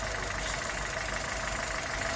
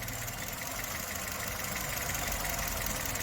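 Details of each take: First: 2011 Chevrolet Spark after intake carbon cleaning and idle relearn, previously shaking at idle and stalling at low speed: even, steady idle with no stumble, misfire beat or surging; engine runs smooth and settled after repair. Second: 2011 Chevrolet Spark with code 82, stalling and shaking at stops and low speed: uneven, lumpy four-cylinder idle with slight speed wander; fuel and intake system faults found.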